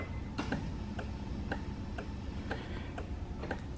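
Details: Honda S2000 at first start after a turbo install: steady light ticking about twice a second over a low hum, no crank or firing; battery possibly dead, car seemingly in alarm mode after the horn was disconnected, cause unknown.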